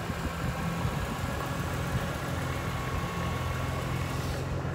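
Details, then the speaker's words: BMW E46 M3 at 173k miles, about 1,000 miles after a DIY rod bearing replacement: smooth, even idle with a steady low rumble and no rod knock or ticking, so the engine is healthy. Only a transmission input shaft leak remains. "but I mean, other than that, it seems I did a decent job because it's not rod knocking."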